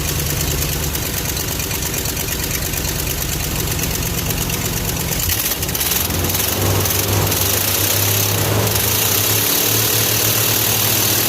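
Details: Plow truck idling after starting with a booster pack piggybacked onto its charger, just back in running order after repairs; the engine runs evenly at a steady idle, settles smoothly after a slight speed change, with no misses or knocks.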